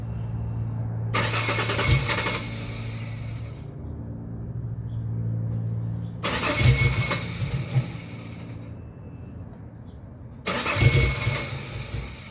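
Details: 2001 Ford Ranger XLT 4.0 V6, in the morning, with new fuel pump, injectors, filter, plugs, wires, coil pack, pressure regulator, crank and cam sensors: three two-second bursts of steady cranking that never catch; cranks but won't start when cold.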